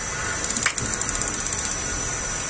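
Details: Gas water heater whose flame lights only briefly, igniter working only some of the time: a burst of rapid igniter clicks for about a second, then the flame cuts out again even with a swapped electrode. Ignition module suspected, not confirmed.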